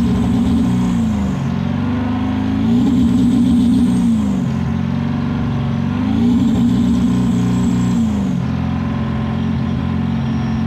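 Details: Ford 7.3 PowerStroke diesel at full throttle: it pulls hard in repeated surges with an uneven, stumbling beat, and blows blue smoke. Misfire under hard acceleration.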